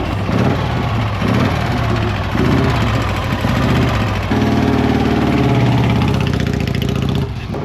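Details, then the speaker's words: 1956 Harley-Davidson FLH Panhead after a fresh top-end rebuild, transmission seals and wiring work; even, loping V-twin beat settling into a steady idle with no knocks or ticks, a healthy running engine. "What do you got? That thing sounds pretty good."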